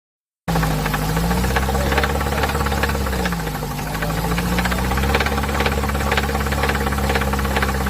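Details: Chevrolet (GM) engine, Corsa/Celta family, idling with no oil pressure: loud rough hard bottom-end knock; oil pickup suspected clogged, engine found full of metal fragments, knock from oil starvation.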